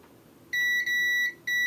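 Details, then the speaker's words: Continuity beeps on a faulty device's board after removing a port: two high steady beeps to ground, cap line still shorted; short traced to chip P13. "no it hasn't okay so we still have a shot on that cap so let's remove p13"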